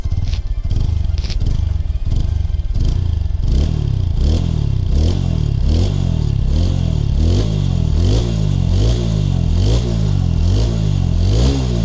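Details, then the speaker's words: TVS Apache RTR 160 4V motorcycle, after silencer repair (two holes drilled in the pipe and gas-welded shut) to cure a broken internal mesh causing phat-phat sound: clean revving blips, crisp exhaust, no rattle or broken-mesh noise. "देखा होगा sound कैसी आ रही है बिल्कुल भी जाली फटने वाली आवाज नहीं रही है मेरी बाइक की मेरे बाइक में"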